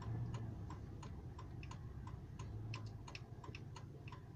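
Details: 2004 Silverado: light, fairly quick ticking, about three or four a second and somewhat uneven, over a low engine hum; source of the tick unclear.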